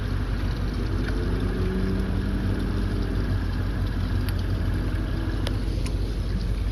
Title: mercury rough idle